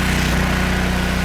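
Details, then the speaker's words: Free generator with its AVR plugged in, started cold with no load: steady, even single-cylinder drone with clean low beat, no misses or knocks; running beautifully, output pot still needs adjusting toward about 122 volts; normal running. "all right there's our avr plugged in let's fire up and see where she lands oh she's cold running beautifully"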